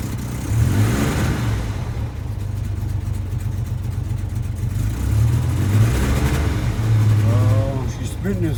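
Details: Chevrolet S10 pickup with carburetor reworked to pass emissions, electric fuel pumps, gas leak present: revs with uneven, lumpy drone, occasional stumbles and spitting back; rough running, cause not pinned down.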